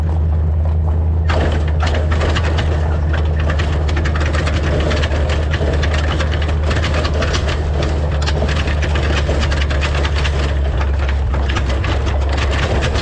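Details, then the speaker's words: Driving a rough gravel road before fitting an anti-rattle hitch clamp: constant hard clatter and knocking over low engine and road rumble. The loose hitch shank is sliding back and forth in the receiver. "so when i'm traveling along the uh hitch here slides in and out of this bracket this sleeve makes all kinds of noise it slides forward and backwards and it's just a really noisy noisy ride"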